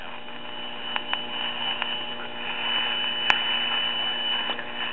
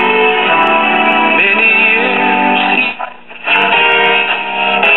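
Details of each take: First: 1960 Arvin twin-speaker AM tube radio with volume at maximum: steady mains hum with faint hiss and crackle and barely any station, traced to a faulty IF transformer. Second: Late-1950s/1960 Arvin twin-speaker AM tube radio, IF at 455 kHz, after aligning the IF transformers: music comes through clean and steady, with no hum, crackle or fading, receiving the station properly.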